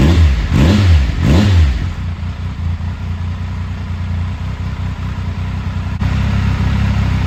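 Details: 2000 Triumph Sprint ST 955 triple, first start in 24 years after being wrecked new and stored in a barn, with a cleaned fuel pump and new fuel hoses: two quick rev blips rise and fall cleanly, then steady even idle without misfire or clatter; running normally.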